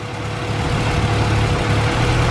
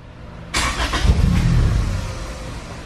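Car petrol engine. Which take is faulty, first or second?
second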